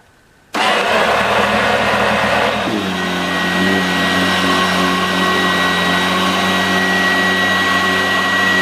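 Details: 1986 Vorwerk VK 117-1H upright vacuum cleaner after cleaning and repair, its old belt having worn out with age: switches on and settles into a steady, even motor hum with a constant tone and no rattles or surging; runs normally.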